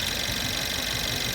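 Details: Mercedes-Benz C180 CGI W205 (274 engine) at idle after alternator replacement: steady even idle with soft hiss, no electrical whine; the faulty alternator had caused a howl at the engine front and low charging.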